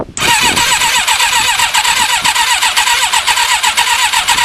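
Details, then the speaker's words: Thunderace motorcycle, stone cold, fuel primed: starter churns with steady compression pulses about two per second but never fires; cranks but won't start, owner thinks the battery is going flat; fuel tank tap also leaking. "right obviously it's not fired i think the battery's getting flat so i need to let me hook up another battery"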